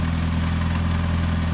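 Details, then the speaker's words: VW 02J/02M gearbox after new main input shaft bearing cage packed with grease, inner race not replaced: steady low idle hum with faint even drone, no loud bearing growl, far quieter than before; normal idle, transmission quiet. "it's extremely quiet um compared to what it was it'll do him fine for getting around town"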